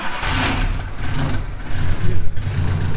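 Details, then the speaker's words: Cushman kei mini truck with a rebuilt Mitsubishi engine, still burning off oil: the idle rises and falls, hunting then stabilizing; owner suspects a bouncing metering valve and is unsure how to adjust the bypass; otherwise runs good. "yeah I don't know why it surges like that it uh it'll stabilize and it'll I think the metering valve is bouncing"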